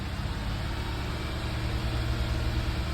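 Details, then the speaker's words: Audi A4 B8 petrol engine held around 2,000 rpm: an uneven, stumbling low throb with the car shaking, a misfire that logged no codes. The cause was a non-original intake; refitting the original cured it. "know. And I can see the car is shaking, you know. My car is shaking, it's bad."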